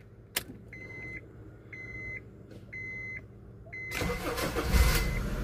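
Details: Honda CR-V with hard starting and stalling: after a temporary glue repair, four dash chimes, then it cranks and catches at once, settling into a steady run; normal start.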